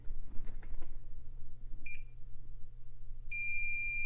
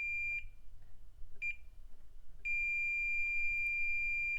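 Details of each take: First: IBM 5160 PC XT restoration, continuity-testing a ribbon cable by swiping the probe across its top: over a low mains hum, a short high beep and then a longer one about 1.5 s later; each conductor good. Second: IBM PC XT 5160 power supply, meter on pin 4 of the P9 connector: short beeps, then a long steady continuity tone on the 5V rail. A possible short, though maybe just low resistance.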